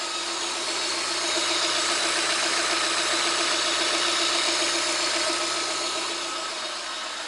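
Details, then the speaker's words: VAZ 2110-12/Priora 124 16-valve engine after head reassembly, hunting a knock at about 63°C: knock disappeared after a minute; now an even, steady idle with a smooth hum and no knocking, running normally. "Так, в целом сейчас работает нормально."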